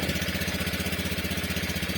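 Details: Honda Click 125i FI V3 scooter started after letting the ignition system finish its ready check. It settles into an even, quiet putter with a smooth steady beat and no knocks or rattles: a healthy normal idle.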